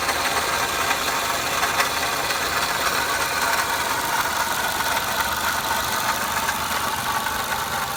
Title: 2005 Pontiac Vibe Toyota Matrix 1ZZ-FE engine noise: Solved, water pump noise